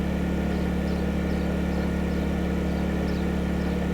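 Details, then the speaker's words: Honda 2000 inverter generator running a camper's Dometic Evolution 15,000 BTU air conditioner fitted with a MicroAir Easy Start: smooth, constant low hum, steady rhythm, no hunting or surging after a slight ramp up; normal running under load. "Okay, so there was the slight ramp up. I didn't see the light flicker. So, that is a Dometic evolution 15,000 BTU on our Honda 2000."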